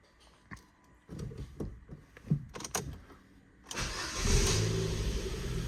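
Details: Ford Fiesta with a cylinder 4 misfire code, after codes were cleared: a few knocks, then it revs cleanly and smoothly with no stumble. It revved fine before too.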